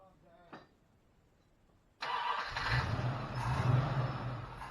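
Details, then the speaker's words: 1972 Plymouth Roadrunner 383 Magnum, sat 15+ months, started to finish cam break-in, stock/RV-grind cam: V8 catches instantly and holds strong, even fast idle, no misses or knocks. "i'm gonna do a walk around after it's broken let you hear the cam it's just kind of a stock or rv grind"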